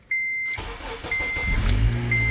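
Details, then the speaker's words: 2006 Acura TSX after ignition switch replacement: short chime, brief crank, engine fires right up and idles with no dash buzzing; buzzing and hard or no start fixed, bad ignition switch confirmed. "right up no buzzing so we have fixed the issue bad ignition switch"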